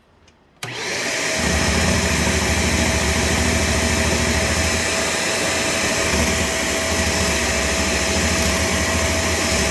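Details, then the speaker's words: Shark Navigator Lift-Away ADV vacuum in bare-floor mode on soft peel-and-stick floor: steady vacuum roar with a low, uneven thump about three times a second, the brush roll slapping the hard floor. "Did you hear that thing just thumping on the bare floor? Yeah, that's terrible."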